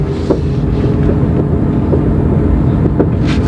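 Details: GM Corsa coasting downhill in fourth gear at about 20 km/h, also in neutral: scattered sharp clicks and pops from a front wheel over wind noise; owner suspected axle or wheel bearing; loose wheel nuts.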